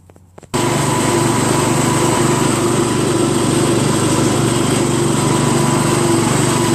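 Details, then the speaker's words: Craftsman LT1000 lawn tractor after a new drive belt was fitted: the single-cylinder engine starts and runs with a steady, even buzz; it drove around the block fine, a little noisy, with stiff steering. "I just went around the block. Seems to drive fine. little noisy, but and the steering's kind of stiff. But made it back okay. Engine seems to run just fine."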